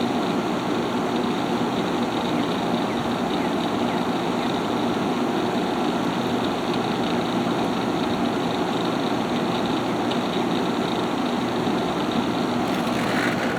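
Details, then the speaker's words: Haier ESA410J-RGB 10,000 BTU window air conditioner, evaporator-side airflow test with the fan on high at about 1,700 RPM: a steady, even rush of air with no rattles, ticks or pitch changes. It is running normally and strongly. "Crank it up to high. There's our power output right there. This thing is very strong."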